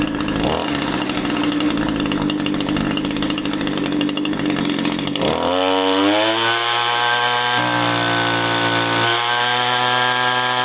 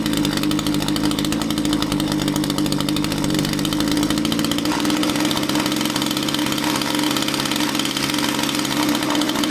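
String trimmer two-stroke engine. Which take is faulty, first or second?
second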